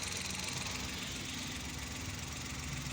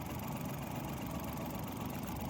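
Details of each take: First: 2012 Mazda badged as a Suzuki Every (Suzuki engine) with check-engine light and code P0303 cylinder 3 misfire; steady, even idle with a smooth low beat, no knocks or stumbles, sounding healthy after the repair fitting was completed. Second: Mazda (Suzuki Every-type 2012 Japanese engine) with check engine light and code P0303: low idle with uneven, slightly shaky beat and faint stumble; cylinder 3 is misfiring.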